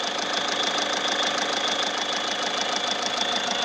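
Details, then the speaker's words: Skoda Rapid 2012-13 with gears stuck hard in neutral: at idle a steady high whirring with a fast rattle, about three beats a second, from clutch area, growing louder when clutch pressed; suspected broken gearbox bearing, clutch to be opened and replaced. "Clutch press करने पर और ज्यादा आवाज बढ़ रही है। इसका bearing फूटा या कुछ आम खराब हो गया।"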